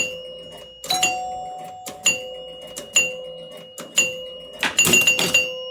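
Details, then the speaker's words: 1977 Gottlieb Jacks Open electro-mechanical pinball: with the special lit, knocking the red targets down again fires the knocker for a free credit, sharp loud knocks about once a second over ringing chimes; knocker firing normally. "You hear the knocker go off again because we got the special again, and so on."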